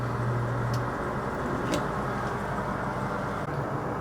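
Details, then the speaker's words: Maytag Neptune TL top-load washer (FAV9800AWW/FAV6800AWW) in spin after clutch repair to fix the UL unbalanced-load error. A smooth, steady hum and whir with no grinding as the clutch freewheels on its bearing, a normal spin. "as you can see when the washing machine is in its spin the clutch is basically freewheeling off that bearing which is just like the bottom bracket of a bicycle"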